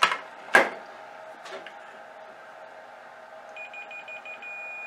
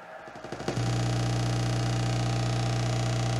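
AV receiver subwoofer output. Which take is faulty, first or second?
second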